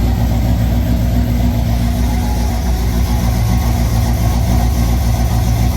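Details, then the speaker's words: Rebuilt supercharged V8 in Ford Falcon gasser after Drag Week damage (lifters, rockers, pushrods replaced), first start without radiator: loud, steady, even lumpy idle with deep regular pulse, no knocks or ticks; healthy. "But uh but the engine did start. There you go."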